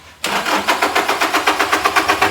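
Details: Toyota N80 Hilux diesel, about 230,000 km, starting after replacing the hidden in-tank fuel pump filter and priming by hand pump; catches quickly after a short crank, even clatter about seven beats a second, no stumbling. Healthy start.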